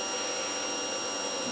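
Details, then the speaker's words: 2005 Yamaha Majesty YP400 scooter at key-on after oil change, kickstand down: brief, steady high whirr at even pitch, the fuel pump priming normally before starting. "you hear that fuel pong good to go"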